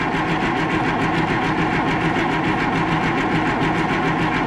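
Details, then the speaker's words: Oliver 1800 tractor with diesel engine, not run for about two years, fresh battery fitted: fast, even cranking with regular compression pulses that never fires; air found in the fuel filter/system suspected as cause; crank no-start. "I did get air out of there when I cracked that open so there was definitely air in the system"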